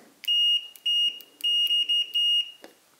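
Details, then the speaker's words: Chinese-version Fluke 101 multimeter after reassembly with test leads re-centered: clean, crisp continuity beeps, less buzzy and a clearer tone than before; buzzer inadvertently fixed and working properly. "that is definitely sounding less Buzzy than it was before it's a clearer tone"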